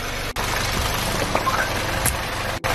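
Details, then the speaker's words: VW GTI with stalling and codes P000B, P0017, P0341, P2336, new oil pump fitted, hot idle: light, fast ticking knock over the engine note, felt too, stops when a cam adjuster is unplugged; faulty camshaft adjuster central valve. "right so you can kind of hear the noise now me now ruffit you can hear thee and you can feel it in there too and I unplug them from the noise goes away"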